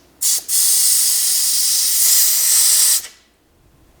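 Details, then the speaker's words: Wrecked Hellcat with a smashed front end and crushed AC condenser: the AC service valve is opened and a sharp, steady hiss lasts about 2.5 seconds, then stops. Refrigerant was still in the system; refrigerant hiss from the service port. "so I'll assume there's no freon in it anymore but this is the training cooler right yes yeah AC mm-hmm but it might still be in there actually"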